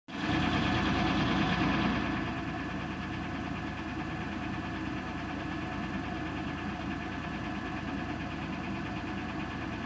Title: 2000 Buick Century lifter tick